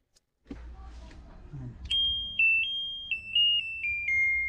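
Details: Sharp ES-JN08A9 8 kg automatic washing machine that turned on by itself at plug-in and would not respond to controls, fixed by reseating a loose plug connector: clear high beeps stepping down in pitch as buttons are pressed; the control board responds normally.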